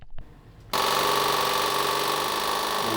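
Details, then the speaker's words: 37-year-old Suzuki Intruder 1400 motorcycle, first start attempt in over 5 years, newly installed replacement fuel pump: a click, then a steady high electric buzz with fast even pulse as it primes the carburetors normally. "It's working. [Applause] It's priming the carbs."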